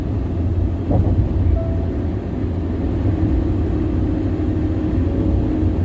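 Constant deep droning rumble at cruising speed, no rhythmic knock or whine on top, just loud tyre roar from the road surface.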